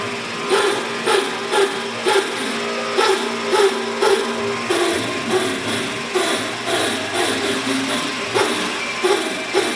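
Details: Denford Triac spindle hums with steady tones, broken by uneven, recurring rough bursts about twice a second; this is an unexplained abnormal spindle noise, not its normal sound.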